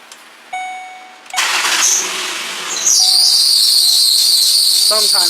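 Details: 2006 Ford Explorer 4.0 SOHC V6, which had thrown its belt and overheated: the engine catches, then a loud, steady, high-pitched belt squeal rides over the idle. The failed, wobbling harmonic balancer makes the belt bounce.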